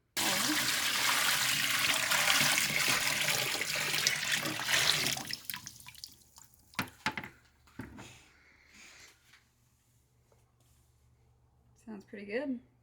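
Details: 1946 Bantam T3-C micro camping trailer's diesel heater: steady rushing roar from the burner and flow runs evenly, then settles quiet; heater firing and running normally.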